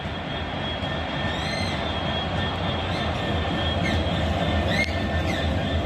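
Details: Locomotive 66727 "Maritime One" passing through Millbrook: high thin squeals rise and fall above the heavy rumble of the passing freight train, wheel squeal of unknown cause.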